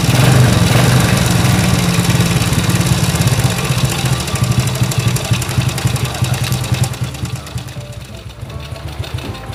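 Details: Honda S90 motorcycle after cam chain tensioner rubber roller replacement: steady low putter idle with no chain rattle, quieting toward the end; engine smoother than before repair.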